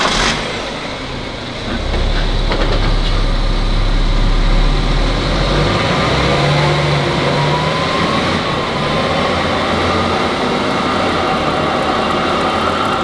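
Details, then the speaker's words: BMW F11 530d xDrive diesel, 416,000 km, on lift with rear wheels spinning: deep steady drone with faint whirring rising with speed; on the road it appeared from about 60 km/h, louder and higher-pitched with speed; judged rear wheel bearing, not differential. "ich würd sagen das hört sichm Radlager an ja reicht machus also wir haben es hier deutlich wahrgenommen"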